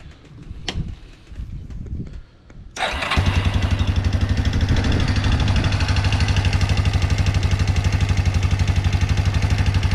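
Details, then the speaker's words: 1997 Yamaha Big Bear quad, warmed up: even thumping idle about four beats a second with light tapping from the valve area; owner suspects valve adjustment or stretched cam chain with automatic adjuster, unconfirmed. "I don't know if it's valves need to be adjusted or it might be the it might be the cam chain."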